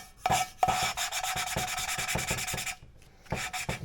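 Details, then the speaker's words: Ford 2.3 V6 rebuild: valve being lapped with grinding paste using a suction tool, gritty back-and-forth rasping as the seat is still cut; tone changes and grinding stops when the seat is bedded in. "It should just take a light clean up. You hear it grinding."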